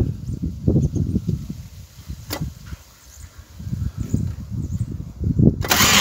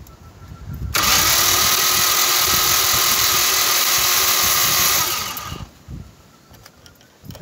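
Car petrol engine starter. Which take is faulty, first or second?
first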